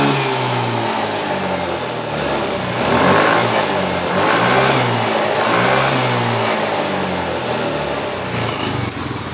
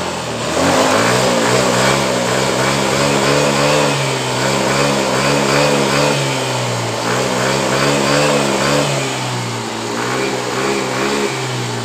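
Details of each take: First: Yamaha Mio M3 scooter that stumbled under throttle after shipping, fuel pressure previously fluctuating, now after rotak part replaced and realigned to its plate (coil, TPS and throttle body swapped earlier); catches, idles evenly and revs cleanly; normal running. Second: Yamaha Mio M3 scooter, started with fuel pump pressure at a normal 42 psi: idle normal, but under throttle it stutters and wavers in the middle and top; fuel pressure fluctuates, possibly a fault in the part just replaced, cause unconfirmed.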